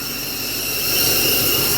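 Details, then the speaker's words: 6.0 Powerstroke diesel idling with a steady sharp hiss from one side only, other side quiet; exhaust leak before turbo and up-pipe replacement. "You come over here. You can hear it hissing. It's all from this side,"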